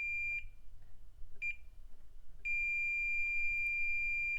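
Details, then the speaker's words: IBM PC XT 5160 power supply, meter on pin 4 of the P9 connector: short beeps, then a long steady continuity tone on the 5V rail. A possible short, though maybe just low resistance. "we got something shorted on the number number four pin on the P9 connector that is on the 5vt rail so something may be short indeed"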